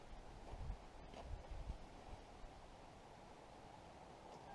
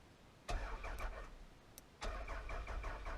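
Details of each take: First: 1999 Toyota Solara that had sat for years, running on old gas after a replacement ignition switch was fitted. It cranks, catches quickly and settles into a steady, even idle with no misses and no smoke. Normal idle. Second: 1999 Toyota Solara automatic, hot-wired: two short bursts of steady starter cranking, never fires; no fuel pump heard and fuel gauge on empty, so owner suspects it is out of gas.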